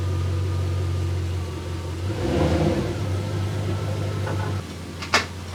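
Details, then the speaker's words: 1999 Jaguar 4.0 V8 after crank-no-start from bore wash; started once compression built up. Steady low, even idle hum with one smooth throttle blip settling cleanly: normal running. "so it seems to indeed be B wash that was the problem it started up it took a while to actually build the compression"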